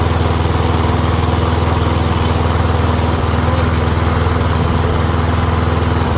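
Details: Troy-Bilt Briggs & Stratton rear-wheel-drive mower after ultrasonic carb clean, warmed up, self-propel checked; steady even fast single-cylinder beat at constant speed, no misses or surging; running smoothly and quietly.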